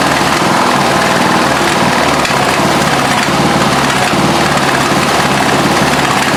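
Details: Craftsman LT1000 lawn tractor, 17 HP OHV single cylinder, after adjusting loose valves: rough, uneven beat with occasional pops back through the carb; misfiring persists, somewhat less after adjustment, cause not yet found.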